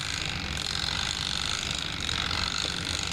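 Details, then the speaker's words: Twin-tub washing machine spin-dryer timer, bench-tested: fast, light, steady mechanical ticking with no catching or stalling as the timer dial turns; timer working normally. "Chúng tôi đảm bảo đồng hồ bắt đầu quay. Hãy chắc chắn rằng có một âm thanh chuyển động như thế này."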